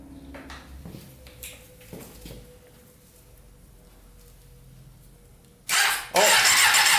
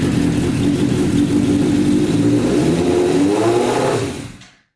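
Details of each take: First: Custom Yamaha Banshee with a 600cc sport bike engine swap: starter works only with the clutch held in; quiet cranking, then it catches with a sharp loud bark and settles into a clean, crisp rev; healthy first start. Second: Custom Yamaha Banshee with 600cc sport bike engine swap, restarted on choke after fixing a carburetor leak, revs surging and hunting then sagging and dying; sounds like it ran out of gas.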